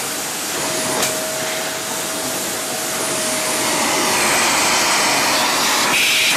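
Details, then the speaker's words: Samsung vacuum cleaner after disassembly, dust cleaning and filters refitted, following an earlier knock or pop in use: strong steady airflow with even motor whine, no grinding or rattling; running normally with good suction. "tất cả mọi thứ, máy hút bụi kéo hoàn hảo. Nó thậm chí còn bắt đầu hoạt động êm hơn, nhưng với động cơ mới thì sao."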